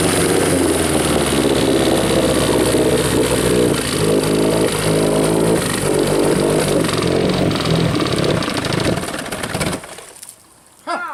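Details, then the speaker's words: Rebuilt 1963/64 Evinrude 40hp two-stroke outboard, out of gear, restart: uneven lumpy running then dies with heavy smoke; choke found partially on, owner suspects the unhooked choke solenoid pulled it shut. "That was a lot of smoke. well, it looks like the choke was on partially."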